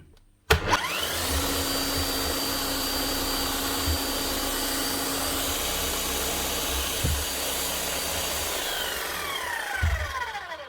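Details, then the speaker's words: Bosch GSH11E demolition hammer: motor spins up smooth and steady with a clean whine but no hammer blows; motor bearings sound fine, hammer not striking, likely worn seals and old grease, needs a service. "okay she's doing squat but don't mind you cuz the motor sounds really good sounds smooth enough this end"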